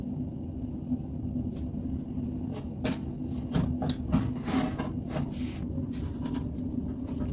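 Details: Bosch Maxx 6 washing machine after motor bearings replaced, drum bearings still good; heavy constant low rumble with occasional knocks at high spin speed; owner concludes the drum itself is broken.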